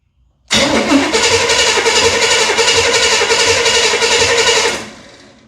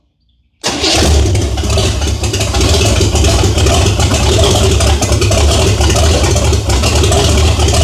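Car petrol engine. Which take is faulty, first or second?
first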